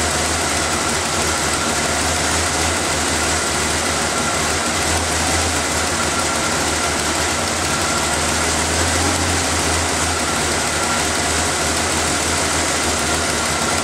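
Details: After refitting the intake's vacuum lines, air filter and cover, the engine is started to listen for leaks: steady, even idle with a bright airy hiss on top but no leak whistle, and no misses or dips. It runs normally.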